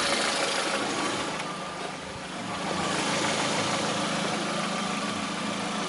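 Steady idle with a faint, fairly regular light knock riding on top, about three per second; a knocking engine, cause undetermined.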